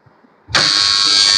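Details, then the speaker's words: DOL starter contactor (NVC) clicks in then holds a loud steady buzz; running on inverter with main supply off, so coil gets less than full 240 V; hum stops with full voltage. "आवाज क्यों आ रही है कि NVC को पूरी supply नहीं मिल रही। है ना? अब मेन सप्लाई ऑफ है। इन्वर्टर से चल रही है तो इन्वर्टर पूरा वोल्टेज नहीं देता 240 तो इसको पूरा वोल्टेज मिलेगा ना तभी इसमें गुंजन की आवाज है ना ये बंद हो जाएगी।"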